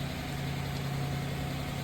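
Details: 2015 Chrysler 300C 5.7 Hemi, first start after engine repair with oil pressure primed by cranking; smooth steady low idle with even beat, no knocks or ticks; check engine light on, running healthy.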